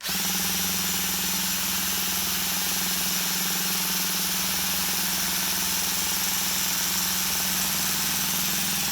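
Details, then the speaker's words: Duratrax Maximum MT Pro nitro RC engine spun by a Milwaukee drill. A steady high whir with no binding, as WD-40 smokes off it. It turns over freely and easily. "oh you guys hear that we actually turn it over easy already so let's see if we can unclog the carb while we're here"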